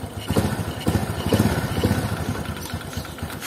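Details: Honda Supra underbone single-cylinder at idle after the tensioner adjustment fix for a rough cik-cik/tek-tek ticking: even putter about two beats a second, top-end tick gone, engine sounds healthy.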